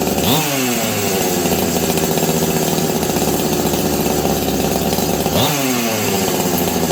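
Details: Husqvarna 385 chainsaw, sat on a shelf for years: it holds a high, buzzing two-stroke scream with two sharp rev blips. The clutch expanded and grabbed the chain brake. Owner suspects an air leak.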